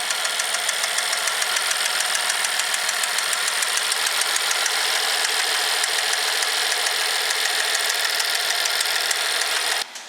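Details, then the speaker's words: 2012 BMW 650i, 4.4 twin-turbo N63 V8 running: loud, steady knocking about three per second that sometimes comes and goes, a suspected rod knock and an obvious mechanical engine noise; an engine malfunction message was displayed. "all right so that's what it sounds like being the fact that we have an obvious mechanical um engine noise possibly just bad engine"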